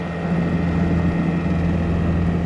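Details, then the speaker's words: Nucanoe Pursuit kayak with a Honda GX50 50cc powerhead outboard on an upgraded leg and a 2-blade prop, at about 3.9 speed just above idle: low, even drone with steady pitch and no knocks or misses. Normal running. "So number-wise, right now we're about 3.9, as you can barely hear that engine above idle."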